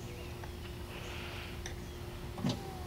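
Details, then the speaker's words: 1999–2003 Mercury Villager power window tested with the door panel just hanging, before the screws go back in during a door panel repair: quiet, steady motor hum with no grinding or straining. The window goes up and down freely. "See? The window goes up and down."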